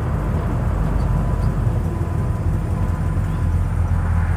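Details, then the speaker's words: Pontiac Tempest on a slow-crawl test drive after maintenance, at the speed where the suspension usually pops: only a smooth, steady low road rumble, with no popping or clunking. "I don't hear it and I usually would right now well I'm going to keep cruising here and uh see what happens but so far I'm liking it no no popping no clunking"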